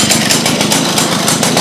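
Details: Restored Victa two-stroke go-kart engine, freshly reassembled with a serviced centrifugal clutch: crisp, high-revving buzz with a steady fast beat and even firing; normal running.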